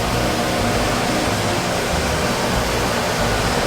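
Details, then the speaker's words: Industrial parts washer at a repair shop starting its cycle, spraying water and cleaning chemicals over oily parts: loud, steady hiss and rushing spray over a constant pump drone, no knocks or grinding; it is running normally. "whoa you hear it's starting up that's really loud I bet there's all kinds of water splishing and splashing all over those things"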